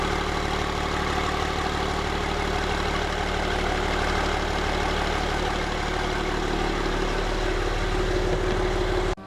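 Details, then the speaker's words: BMW 325d diesel after maintenance and upgrades (valve springs, rocker cover, radiator, coolant), fuel system bled, just started: even diesel clatter at steady idle, no misses or knocks; normal idle. "We put everything back together, we started it up, it runs nice."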